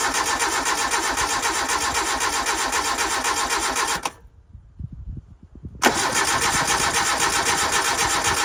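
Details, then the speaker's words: 1988 Suzuki Samurai parked since the late 1990s, cranked without starting fluid: steady starter churning at about four turns a second, a pause, then more cranking with no firing. No fuel comes from the fuel line; crank, no start. "it didn't fire. Let's see if we're getting fuel up here. Alright, getting no fuel."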